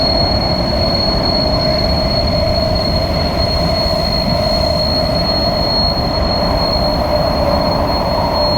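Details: SMRT KSF A metro train C151A 563/564, Changi Airport to Expo, in tunnel: loud steady high-pitched wheel squeal over rumbling rail noise, a known issue on some KSF A trains, cause unknown.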